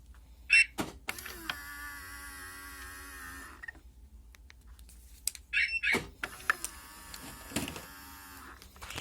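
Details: Citroen C4 right folding side mirror after removing the cover and lubricating with WD-40 and grease to cure its squeak: two even steady whirring motor runs, no squeak or crunch; normal fold operation.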